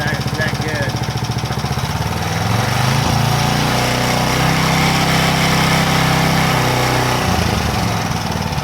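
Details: Power Trim edger's small single-cylinder engine, which had been hunting and would not hold speed, now putters evenly, picks up to a smooth higher speed and drops back without hunting after a new Pulsa Jet carb kit; it holds speed properly.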